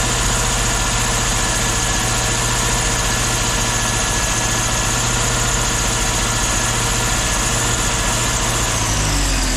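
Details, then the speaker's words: 1984 Jeep V8, running after sitting parked with wiring problems. Steady, even low rumble with no knocks or stumbles, heavily muffled so it barely sounds like a V8; the owner plans a muffler delete. Normal idle. "Man, this thing is real quiet. I want people to know this thing's got a V8 in it."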